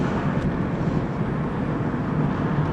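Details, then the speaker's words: Dodge Neon on the road over rough pavement after replacing sway bar bushings to cure a front-end thump over holes: only steady low road rumble, no more thumping from the front suspension. "remember it was noisy here no more thumping yes so much nicer"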